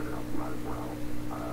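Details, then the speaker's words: 1928 RCA Victor Model 28V radio: steady 60-cycle power-supply hum under a muffled, garbled station voice; suspected hum amplified in RF tubes fed directly from filaments, not confirmed. "The garble may be caused by that same hum being amplified in these tubes to the point where it's so big, the 60 cycle hum is so big."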